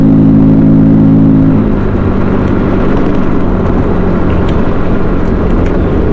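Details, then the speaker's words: 2007 Honda Metropolitan 50cc scooter with engine speed dropping, on road test reaching only low 20s mph: buzzy two-stroke drone drops in pitch and stays flat, not pulling higher; bogging under load, owner suspects fuel starvation. "still sounded like it was bogging a little bit got up to 20 something miles an hour I mean low 20s but still bogging a little bit I think she might be starving for fuel it's kind of what it sounds like"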